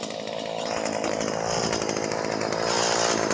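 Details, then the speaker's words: Stihl HS 45 two-stroke hedge trimmer, previously would not start despite checked compression and spark and a clean muffler, now repaired: steady high-speed buzz with an even, unbroken note; runs cleanly. "El problema en el en el recortador de hojas en la recortadora que está corriendo ahí"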